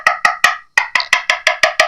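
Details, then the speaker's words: 1980s Fernandez Les Paul fretboard with loose inlays: nine sharp taps ringing hollow and papery rather than like the wood, empty cavity underneath; loose inlay. "That one doesn't sound like it. This one's hollow. It's empty underneath."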